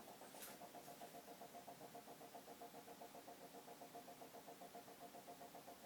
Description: My refrigerator just being weird as usual. What an idiot.